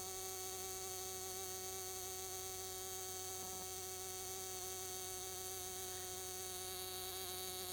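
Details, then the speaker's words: Enya SS45 model airplane two-stroke glow engine, first run after rebuild with new bearings, 10% nitro fuel with extra castor, Top Flite 11-5 prop, Enya #3 plug: steady high scream with a thin buzzy note and slight vibration; healthy break-in run. "looks straight while it's running slight vibration anything normal from a nice two-stroke motor like this"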